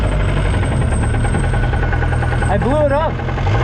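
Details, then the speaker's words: 2007 Lotus Exige track car, about 80,000 miles, just after blowing up on track: rough idle with a steady heavy knock every crank turn from spun rod bearings. "i blew it up that's the motor knocking you don't hear that i do"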